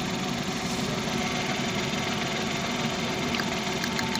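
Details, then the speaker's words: 2020 Suzuki Transformer DA63T with shaking engine: idling with an ignition coil disconnected, lumpy uneven beat as the cylinder drops, strong reaction showing that coil was firing. "Mga boss malakas yung palag niya sa ano pag natin yung coil"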